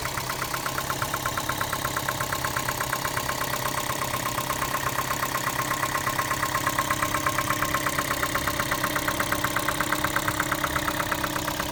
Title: Prius 2 engine knocking noise